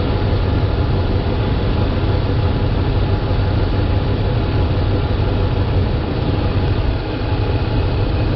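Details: Dodge Ram 5.7L Hemi V8 (2003 stated, 2010 1500 in description), couple hundred thousand miles, after replacing a leaking power steering pump, idling while wheel worked lock to lock: steady deep idle, no rising whine or groan; normal pump operation.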